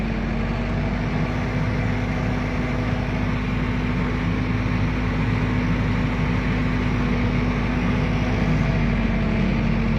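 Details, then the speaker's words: Military diesel generator after being fixed: steady, even diesel drone with slight pitch shifts as the voltage and frequency knobs change the rpm. Running smooth as silk. "Wow, just wow. Smooth as silk."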